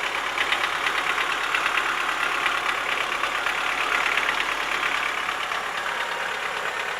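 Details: Chevrolet Lacetti 1.6 petrol engine at steady idle with rapid light, slightly irregular tapping about three a second: worn piston knock, cured by boring the block and replacing the piston group.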